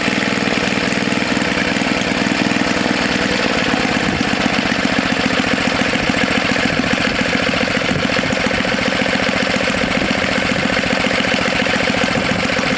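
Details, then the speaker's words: Tecumseh HS40 small engine after carburetor jet cleaned and screw set about a quarter turn out: steady, even buzz with no surging or hunting, runs cleanly and healthy; candidate for Snapper snowblower or minibike. "it doesn't want to shut off now yeah that's good so it's a good candidate for either the snapper snow blower or for the mini bike"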